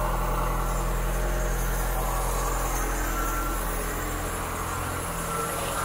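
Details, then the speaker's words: 1972 Mk3 Ford Cortina GXL just fired up after a service and tune-up, ticking over fast on the choke: a steady, slightly raised, even low throb with no misses or knocks. The light ticking is the PCV valve, which always ticks. "so i need to cover up just a little bit that was running on the artichoke tick over"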